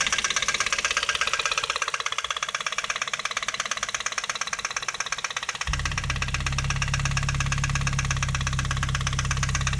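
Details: Ford Focus 2 1.8: sharp, regular tapping about three per second over idle, continuing as revs rise; engine knock, cause unknown.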